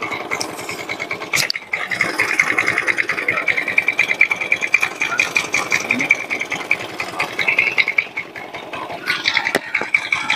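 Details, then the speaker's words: Honda Vario 110 carburetor scooter, weak and no power, starter gear reportedly replaced: sharp uneven metallic ticking and rattling ("kelotak") over thin idle, engine clattering badly; cause still unknown. "Tapi kalau untuk di suara kalau untuk di suara mesinnya kalau suara mesinnya ya memang parah ya. Oh, memang untuk suara di bagian sini itu suaranya parah tuh sampai kelotak-kelotak"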